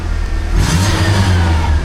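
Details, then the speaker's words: Manual-transmission petrol car revving with a loose metallic rattle in the exhaust: catalytic converter's honeycomb core broken and rattling in its housing, no longer working, code P0420. "That rattle noise is the honeycomb structure inside of the converter rattling around inside of the housing. the uh the converter itself is falling apart and the catalyst bed is no longer providing a catalyst effect on the exhaust."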